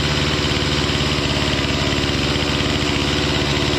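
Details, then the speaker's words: Stihl MS 261C M-Tronic chainsaw after a carb kit rebuild and M-Tronic reset; fast steady buzzing that never settles to slow idle, idling too high, cause unknown to owner. "At least it's working. That's a it's a bonus. But yeah, I don't know why it's idling so high."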